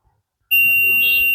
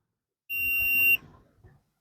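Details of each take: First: Very old Stranger PBT-1500 amplifier with a shorting problem: a multimeter continuity check gives a single steady high beep, and a reading that appears then disappears means no short here. A transistor elsewhere, believed to be a 1943, was found fully shorted. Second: Old Stranger PBT-1500 amplifier with shorting problem, multimeter on transistor legs: sharp high continuity beeps as probes touch; indicates not all transistors burnt.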